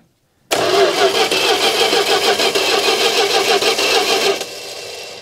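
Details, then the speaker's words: 1980 Dodge W200 3/4-ton pickup, 318 V8, four-speed manual, abandoned 22 years: starter churns evenly at about three turns a second but it never catches; checking plug and coil wires suggests no spark. "I thought I saw a little jump in there yeah I don't think we're getting spark"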